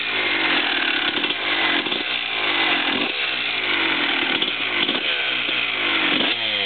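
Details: 2001 Honda CR250 just after rebuild with Wiseco bottom end and ProX piston: loud, crisp two-stroke running with quick throttle blips, revs rising and falling cleanly; normal healthy two-stroke running.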